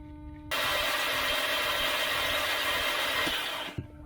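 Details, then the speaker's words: 2013 VW Tiguan 2.0T towed in for no-start after shutting off on highway, compression test: starter spins the engine fast and evenly with no compression chuff; zero compression yet later passes leak-down, intake camshaft found not being turned by cam gear and actuator. "Something weird's going on. It can't have zero in all these cylinders. They must have bent the crap out of all the valves to not allow it to build any pressure."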